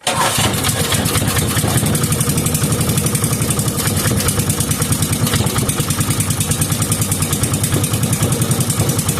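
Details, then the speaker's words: 5 hp Briggs and Stratton engine with gear reduction, long stored, run on temporary fuel not its own tank: quick, steady popping beat, no misses or knocks, no smoke; healthy normal running. "The engine wasn't running on its own fuel supply, but That sounded very healthy, and I didn't see any lick of smoke come out of that thing, so that's a good sign."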